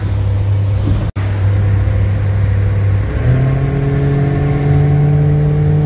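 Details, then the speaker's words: 1968 Slickcraft 195 SS boat, sitting since 2007, first run on the water after a failed distributor, water pump and fuel pump replacement and a sealed fuel tank. In gear, the engine pulls hard as pitch climbs cleanly, no misses. Powerful, normal acceleration. "Okay, so that's a test run, maiden voyage, 1968 Slickcraft 195 SS, and it did scare the shit out of me. It thing's powerful, wicked."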